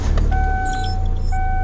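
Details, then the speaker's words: Car started after replacing both vacuum-related sensors and clearing the code: catches quickly and settles into steady, even low rumble, no misses or knocks; healthy start and idle. "Hey, it idled and started good. Sounds like a sports car."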